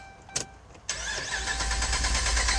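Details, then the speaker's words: 2011 Ram 1500 crank no start, two fuel pumps already replaced: steady even cranking with no catch or fire; no fuel pressure, fuel pump relay circuit in TIPM not powering pump. "uh-oh right there [Music] what that sound like sounded like no fuel right"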